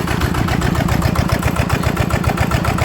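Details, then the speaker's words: TF85 LM single-cylinder diesel that turned stiffly and knocked: even steady thump at idle around 220 beats a minute, no knock or gear rattle; very quiet. "แเืองนี่ถือว่าเงียบมากใช้ได้นะครับเสียงเืองนะครับอ่า"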